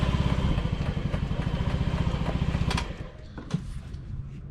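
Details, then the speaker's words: 2009 Honda Metropolitan scooter idling: a steady light ticking about four a second sits over the small engine until shutoff; loud clicking from the failing fuel pump. "The fuel pump's starting to go out. If you have one that sounds like that, even when it's running, that's your fuel pump."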